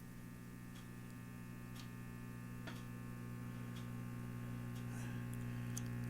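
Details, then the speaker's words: Silvertone 6050 tube radio on power-up via variac and dim bulb, around 80–90 V; low steady buzzing hum rising with voltage, faint ticks; mains hum at the speaker. "That's 80 volts, 90 volts. We're limited to 70 with our dim bulb. There's our hum noise back."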